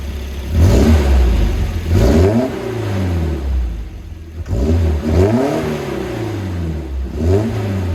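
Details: Volvo engine catches and is blipped several times after the starting problem was probed around the fuel pump relays and 25 amp fuse; revs climb and drop cleanly with no misfire, running normally.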